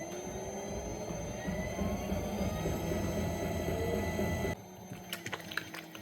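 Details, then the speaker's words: Cheap TEMU electric pottery wheel with electronic speed control, running: a steady thump about four per second under the motor hum with a thin high-pitched squeal; the removed part was ruled out and the source is still unknown. "It's kind of a thump, thump, thump, thump. I mean, at first I thought it was this, so I took it off. It's not. You hear that high-pitched squeal?"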